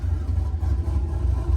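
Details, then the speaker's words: 2001 Chevy Silverado V8 with mild camshaft (about 260/220 duration, 550 lift), before lowering idle to 750 rpm: deep, even idle rumble around 900 rpm, no lope or stumble; normal healthy idle, oil pressure and vacuum fine. "so let me walk around the back one more time this basically is what you would expect from a mild camshaft"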